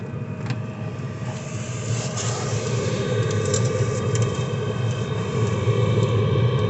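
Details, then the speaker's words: Diesel air heater running, mild pump ticking barely audible: steady low roar with even airy rush, no knocks or rattles; heater burning cleanly, normal operation. "you can't really hear it but there's like a ticking sound for the pump is kind of common but it's so mild you can't hear it on mine"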